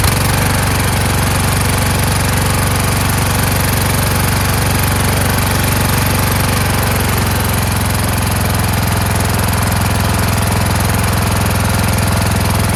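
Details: Kohler Courage engine mounted on a tractor, started on choke: hunts and stumbles at two or three beats a second instead of holding pitch. A return spring made it want to stop; the owner suspects the throttle bracket.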